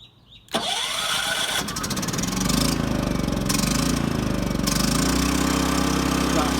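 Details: New Champion 3400 W dual fuel inverter generator, model 100263, first start on fresh oil, choked, battery electric start: catches within half a second, then settles into a steady, even idle with no misses or knocks. Normal start and idle.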